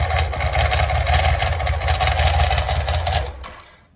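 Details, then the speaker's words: BMW K75 with damaged intermediate housing spring plate: harsh uneven mechanical clatter about three times a second over the running engine, fading at shutdown, from damaged starter/alternator intermediate (Bendix) drive gears; too bad to ride, teardown planned. "So as you could hear, it is very bad, and I don't feel like riding like that, obviously."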